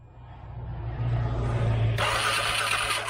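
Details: 2013 CFMOTO Z6 with corroded relays: starter cranks at a steady rhythm, then a sharp hiss; engine spins but never fires. Fuel pump relay pulled, no power on orange wire while cranking; cranks but no fuel pump power.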